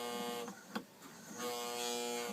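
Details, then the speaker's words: Old, beat-up Lionel 2037 post-war toy locomotive running on track before servicing: buzzy whining motor with a rough gritty edge and occasional clacks, loud grinding inside; gear grinding suspected, not confirmed. "uh unit stuck it's kind of loud you can hear it grinding in there"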